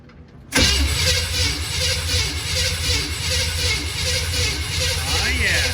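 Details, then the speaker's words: 1951 GMC COE truck, sat for unknown time, first start attempt with new oil filter, fuel tank reconnected and fresh battery: steady rhythmic starter churning, engine turning evenly but never catching; cranks without firing, spark unchecked. "Cool. So it cranks, so that's good. I wanted to crank it for a little bit and get some oil pressure maybe going, because I don't really know how long this motor's set."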